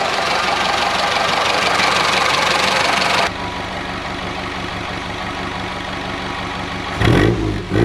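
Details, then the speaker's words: Classic Mini Clubman Estate four-cylinder idling after carburetor dashpot cleaned with brake cleaner and oil topped up, not fully warm due to water leak: ticks over evenly with no misses or stumbles, some bumps near end; now runs. "I've just cleaned it out top the dash spot oil up it was fine anyway hey we fixed it we did a thing"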